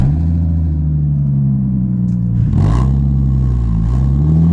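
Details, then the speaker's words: Audi S4 straight-piped from the cats back, with only two rear silencers and exhaust wrap, heard from inside the cabin at about 60: deep, steady booming drone; excessive exhaust drone. "Don't get me wrong though, outside of the car it sounds wicked. I don't know if you can hear that, but it just goes completely through you. Especially when you're sat in the car and like now I'm doing about 60. You can just feel it go through you."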